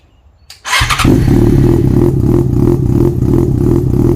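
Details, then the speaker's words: Yamaha FZ6 Fazer with exhausts, removable straight-through baffles taken out: engine catches and settles into a loud, deep, throaty idle with a steady pulse; open exhaust clearly louder. "so there you have it doesn't it sound cool it actually excites me the sound of this little review just goes to show that you don't need a thousand cc's to create some excitement inside you"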